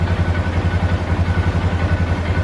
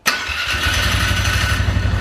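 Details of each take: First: 2012 Polaris Sportsman 400 HO ATV, after the idle fix for bogging down and dying (carb had been gummed up): even low thumping single-cylinder idle at a steady pace, no stumbling or dying; normal idle. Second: 2012 Polaris Sportsman 400 HO listed with a gummed carburetor. It fires into an uneven, lumpy idle with wavering speed and cuts out and dies on certain throttle let-offs; the owner suspects clogged carburetor jets.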